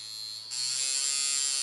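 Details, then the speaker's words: Coil tattoo machine at 5.3 volts, contact screw being advanced during adjustment: thin, high electric buzz jumps louder and steadier as the contact advances; misadjusted contact screw. "Voilà, on réenclenche, donc ça vibre. Là, si vous essayez de faire un tatouage, ça ne marchera pas."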